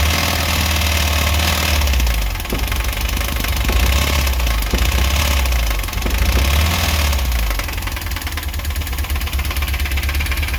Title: 2.1 rod knock